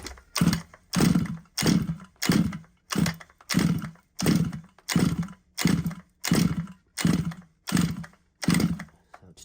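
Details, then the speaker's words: Losi 5ive-T RC car petrol engine: about a dozen even pull-cord rasps, one every two-thirds of a second, never catching; choke position changed without help, spark present, plug found black and wet, engine flooded. "when I'm pulling it to me it feels it feels like it's um flooded"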